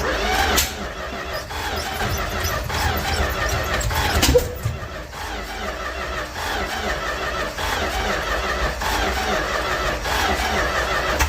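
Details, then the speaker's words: 1967-70 Dodge A108 van, 318 V8, three-on-the-tree manual, suspected timing issues and worn ignition parts: engine turns over with uneven pops and bangs but never runs; crank no start with backfiring, new cap, rotor, plugs, wires planned. "We're gonna see if we can't get this thing to actually run instead of just popping and banging."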